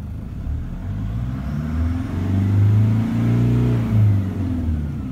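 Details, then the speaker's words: Diesel on road test after warming up, recently serviced with new fuel filter; deep steady note climbing smoothly under acceleration, no rattle or knock. Readings fine, sounds healthy warm, though it rattles when cold; injector replacement being weighed. "on one hand all the readings are fine have a listen to this engine it's beautiful"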